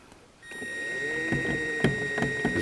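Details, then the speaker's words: Home-built Toylander 2 electric ride-on Land Rover chain drive, running in reverse on throttle: steady motor whine with sharp clicks about twice a second; dial gauge showed the sprocket welded at the wrong angle. "right you will hear a bit of a click and what's happened is and what I've realized now is I've put a dial gauge onto the onto this wheel onto the sprocket and the sprockets actually welded a wrong angle and that's what's making the clicking noise"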